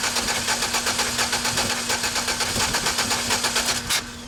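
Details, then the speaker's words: GMC 4.3L V6 pickup that stalled on the road after a banging noise: cranking with one spark plug removed to check spark (fuel present). Even cranking beats with a slight skip, as that cylinder has no compression with its plug out. "you notice the little skip when it was cranking it go that's one sindar with no compression because the spark plug is missing"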